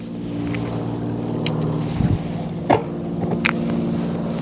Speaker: 3, 2, and the 1, the highest level. And as you can see there, no problems and no noise. So that's how you want it to be when you're shifting those gears.